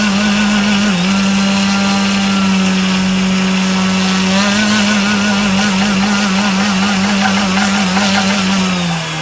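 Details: Brushless motor run on a 25C battery: steady mid-pitched hum with rough wavering warble and uneven pulsing; abnormal noise, cause unclear.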